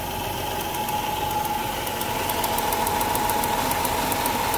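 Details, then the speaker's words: Chrysler engine after a coolant leak idling unevenly with an irregular stumble and ticking: misfire from a bad ignition coil arcing out, not from overheating. "that's a bad coil so this thing's misfiring and it's not because of an overheat that's a bad coil"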